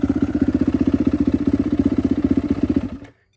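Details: Rebuilt turbo Yamaha YZ450F now 500cc on E85 with drive-by-wire throttle body, restarted after being put back together, starts easily; crisp even idle pulses near four per second, no misses or clatter, then clean shut-off.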